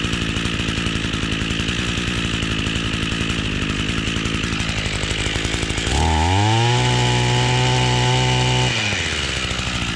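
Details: Echo two-stroke string trimmer that wouldn't stay running, after fuel line replacement, cold start with choke: steady buzz climbing cleanly to high even scream and settling back; runs properly.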